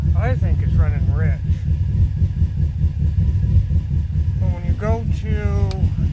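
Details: 2005 Subaru Forester XT turbo four at idle, audibly missing; owner found a coil issue, and it hesitates on throttle. Uneven, loping idle with irregular stumbles under chirpy background noise; rough idle, cause not clear.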